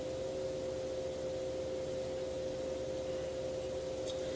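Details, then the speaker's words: Enermax NeoChanger pump at its maximum speed, mic held very close: a steady, thin mid-pitched hum with no gurgle or rattle. Normal pump noise, noticeable at this speed. "now at this speed the pump noise is definitely a parent you can hear it but if you're not one to really care about acoustics like that it won't bother you but it's definitely noticeable"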